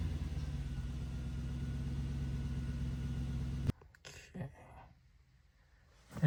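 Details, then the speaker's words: Toyota 100-Series Land Cruiser after an exhaust repair with welded pipes: steady, deep idle and driving rumble with no leaks or ticking, no rattles, pipe not touching the chassis, not too loud. "Oh, it's so smooth. Very smooth. I'd say this is a job completed. No rattles. The pipe doesn't hit the chassis anywhere. It's the perfect amount of uh rumble in the car. Not too loud."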